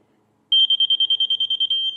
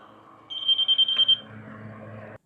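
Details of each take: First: Laser level receiver used for grading dirt work at a sawmill: a rapid string of about twenty high, even beeps, meaning really close to grade, settling into the solid tone that means right on grade. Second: Laser level receiver: a high, steady beep under a second long. A solid beep means the reading is right on grade; quick beeping means close.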